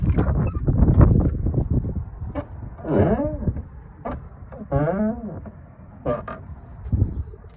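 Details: Ram Rebel driver's door hinges before lubrication: each swing gives a long, loud rising and falling groaning squeak, like snoring. A dry hinge, later silenced with a few drops of AIM Extreme Duty Lubricant on the contact points.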